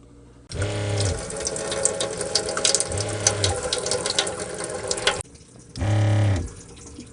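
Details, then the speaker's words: Newly replaced 12 V water pump in a 1990 camper at full pressure: a steady, low pump drone with running water, cycling on and off as pressure builds. Much better flow than the old pump and working normally, but still fairly loud. "It's got much better water flow than it did before. That's pumping out quite a bit of water right there."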